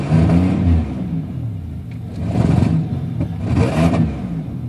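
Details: Buick Regal GSE (10.5mm wires, OBX headers, NGK TR6 plugs, ZZP 1.0 PCM, 3.4 pulley), cold morning: a lumpy, uneven low rumble that stumbles and surges; suspected engine misfire, cause not confirmed.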